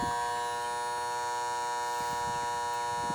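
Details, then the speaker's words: Air conditioning condenser unit during annual maintenance; contactor gives a constant sharp tonal electrical hum with no motor or fan running, so it needs replacing; capacitor also reading low (32 vs 35). "Pull a disconnect and we'll that one's got a hum to it too. Time for a new one."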